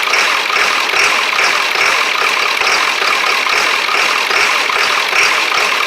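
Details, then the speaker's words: 1999 Ford Super Duty 7.3 diesel, cold weather, just fitted with a 1994.5 HPOP with check valves, summer diesel, stalled earlier: loud, uneven, stumbling idle with white smoke; owner suspects not all injectors are firing, with air in the lines or old fuel. "doesn't feel like all my injectors are fired getting a bunch of white smoke out there"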